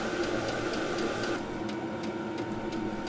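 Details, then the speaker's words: Fuel pump of a VEVOR Chinese diesel heater heating a shop (12–13°C room), 12 V battery at 11.4 V, exhaust at 193°, running after startup. Light, regular ticks about four a second over a soft fan hiss as the pump doses diesel into the burner: normal fuel pump ticking. "After the controller is done with the starting procedure, I can hear the burner burning and I can hear the fuel pump pumping the diesel fuel into the burning chamber."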